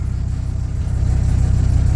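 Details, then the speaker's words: Dodge Ram V10 truck used for towing, at first start after new battery and transmission fluid fill; deep steady low rumble with even pulses, no knocks or misses; healthy idle, good oil pressure, tachometer not working. "everything else is working good oil pressure all that sweet"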